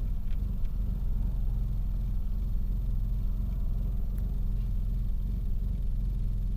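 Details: Engine misfiring at idle: low rumble with an uneven, stumbling beat, about two to three lopes a second; cause not yet known.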